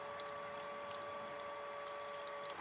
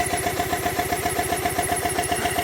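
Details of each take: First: Triumph T100 Bonneville (0 miles, long stored) fuel pump bench-run: a steady high whine with fuel pouring for about 2.5 s, then a clean stop; the pump runs smooth and even. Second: Triumph T100 Bonneville, 0 miles, long stored, won't start; with air pressure fed into the fuel line it runs, a twin at steady even idle with a light ticking beat, so the injectors are fine and the fuel pump has failed.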